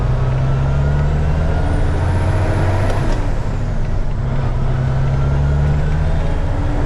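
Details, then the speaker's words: 2000 Freightliner FLD120 diesel semi after fan clutch repair, pulling away in first gear with fan engaged; loud steady low roar over the engine from the engaged cooling fan, working as intended. "but it's really loud all right I'm going to leave the fan on"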